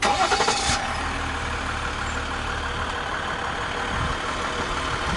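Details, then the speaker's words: RAM 1500 Laramie Longhorn crew cab 4x4, 3.0L V6 EcoDiesel with 8-speed TorqueFlite, remote-started on low fuel: a brief start burst settles into a soft, even, quiet idle. Normal diesel idle, with no knocks. "not very loud it's not like a normal diesel engine where it's like Extremely Loud you hear a little bit"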